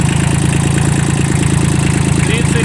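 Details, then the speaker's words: Kubota L1802 18 hp 4WD diesel mini tractor, hood open: steady, even diesel clatter with regular beat and no misses; engine dry with no leaks, running evenly, healthy idle. "Все сухо, нигде ничего не бежит, не течет. Двигатель работает ровно."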